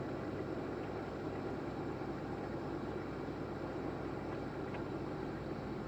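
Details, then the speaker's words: 1987 Lincoln Town Car with 5.0L Ford EFI, revived after sitting almost a decade, on a cold start: idle surges briefly, then levels out to a steady, even low rumble. Normal idle; it later ran badly with no throttle. "Cold start. Oh, it's surgeon leveled out."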